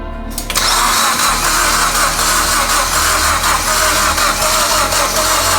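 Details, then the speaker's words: Mitsubishi Evo X engine that sat over 10 years, newly installed, cranked to build oil pressure; the starter spins it at a steady rhythm for several seconds without firing. Normal cranking without ignition. "alrighty so we've cranked the car several times a lot honestly uh just to make sure that again oil pressure builds up"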